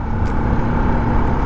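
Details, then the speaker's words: Motorcycle after foam was fitted under the fuel tank to cure an engine noise: even engine drone under road and wind noise with no buzzing or rattle from the tank; only very minor noise left, running normally. "इससे notice बहुत ही कम हो चुकी है engine की जो भिन्न हुई थी बहुत ही कम आ रही है इस टाइम कि फालतू की ऑफिस नहीं आ रही है"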